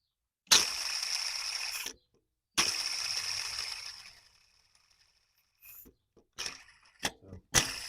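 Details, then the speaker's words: Serpentine belt tensioner pulley off a 1999-2007 Chevy Silverado/GMC, hand-spun with microphone held close: dry, gritty hiss coasting down over a second or two; tensioner bearing has run dry, replaced with a new silent one. "this is a difference between a dry bearing and a regular Berry I'm just going to hold the microphone down here and I'm gonna spin it"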